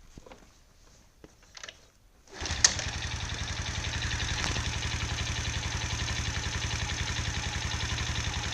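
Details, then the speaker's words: Viper Active single-cylinder engine starts and idles with a steady sharp metallic knock on each firing pulse despite new head, piston kit, chain and crank; no crank play, rod fine; knocks louder cold, stops when warm; cause unknown. "привет youtube такой вопрос стучит что тоф двигатели не знаю уже шел перебрал все головка новая поршневая новая цепь новый коленвал не люфтит шатун нормальный все равно стучит"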